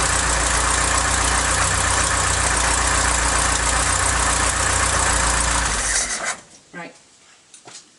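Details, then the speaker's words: Mk3 Ford Cortina Estate at idle after carburetor mixture adjustment: light, quick tapping about four beats a second until shut-off; owner suspects an exhaust leak at the manifold-to-pipe joint, unconfirmed. "i did put my fingers there and i could feel gases expecting you know it being expelled so that would create a noise in its sound tapity"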